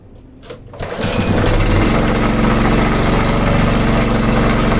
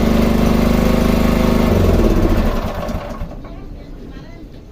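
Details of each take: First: Sanchin 30 pressure washer sprayer pump at start: loud, hard, fairly regular knock about four per second over the drive; suspected worn crankshaft bearing on either side, possibly a loose connecting rod. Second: Sanchin 30 sprayer pump that knocked loudly (suspected bearing or connecting rod play), after repair and refilling crankcase with about half a liter of Mesran Super oil: even, regular pulse with no knocking; normal running.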